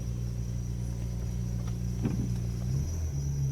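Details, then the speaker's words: 2007 BMW 335i E92 with a no-crank, no-start problem, tow-started downhill: a thin, steady high squeal over a low, even idle rumble; belt squeak, owner believes the belt is worn from repeated tow starts, not confirmed. "yeah my belt's a little squeaky I've worn it out from doing that several times"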